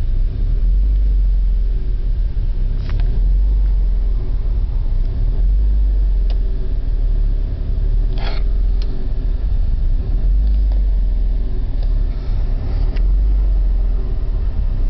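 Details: BMW E36 petrol engine idling with a deep, uneven rumble that surges and dips; rough idle caused by a faulty O2 sensor.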